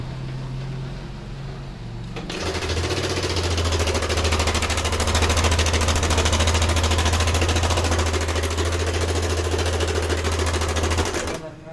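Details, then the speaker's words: Yamaha NMAX V2 scooter engine revving with a loud, rapid sewing-machine-like clatter from a slack timing chain; the tensioner spring came loose so it no longer pushes, and the tensioner is to be replaced to test. "So ito yung nakita muna nating problema ngayon yung kanyang timing chain ah itong kanyang tensioner. Yan. So wala yung spring niya bumitaw na so hindi na tumutulak yan."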